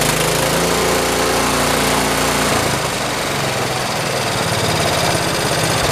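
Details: 1973 112 tractor after new points, coil, condenser and points readjustment: loud steady single-cylinder chug about three to four beats a second, settling after a brief change; runs evenly, normal running.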